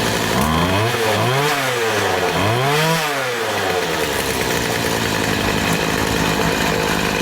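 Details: Poulan Pro PP258TP 25cc two-stroke pole saw from an estate sale, long unused, first run after fuel was drizzled into the cylinder. Two quick revs rise and fall cleanly, then a steady high buzz with no misses or bogging. It runs healthy and still needs fine-tuning.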